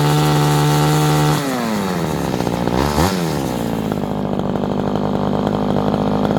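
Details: Vintage Craftsman 917 two-stroke chainsaw after revival: holds a steady buzz, revs up cleanly, drops back and settles into an even note; saw now runs smoothly.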